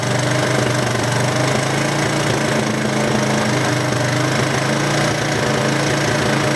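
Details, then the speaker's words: First-generation Honda Big Red, shaft drive with reverse and electric start, not started in over two years, deliberately held at high idle on a jumped battery; runs rough and clattery with uneven pops, cause not pinned down. "I've got it idled up high on purpose. Hear that pop? Like I said, this thing hasn't been started in over two years."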